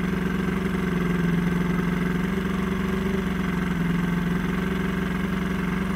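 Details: Old Johnson 90hp outboard on a 1987 Crestliner aluminum boat, sat about a year, fresh plugs; lumpy uneven idle pulsing about three to four beats a second; runs but rough, needs carb work and fuel lines cleaned.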